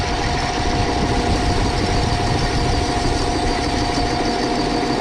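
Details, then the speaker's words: Overhauled Gaso 3211 pump running without oil, bearings sprayed with Micro Mist spray oil, checking for heat: steady, even mid-pitch whirr with no knocks or tightening. Pump turns completely free. "all right that's what we wanted to see that thing's free completely up"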